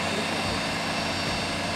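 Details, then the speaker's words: Mazda RX-8 rotary after hand-ported engine tune and battery relocation, first start: loud steady roar with a thin high whirring whine on top; nothing wrong found, the noise disappeared after a while, possibly from sitting unused. "Can you make the engine start? Sounds like a dental clinic !? The youngsters got little nervous to hear strange sound Are they ok?"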